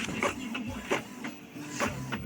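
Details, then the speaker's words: Epson L3150 inkjet printer after head cleaning and refilled CISS, printing a 10-sheet run to check repeatability: regular carriage sweeps about once a second, soft whirring pass with light click, evenly repeated; prints normally. "Запустил 10 листов. Смотрю на повторяемость."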